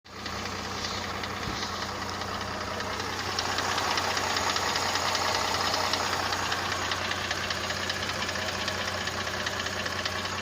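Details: Mercedes-Benz CLS 350 at idle: a dull, regular knock about 2.5 per second from the lower engine, heard best at a certain spot. A piston is suspected; diagnosis is possible only by disassembly, and engine replacement may be needed. The automatic transmission shows no errors.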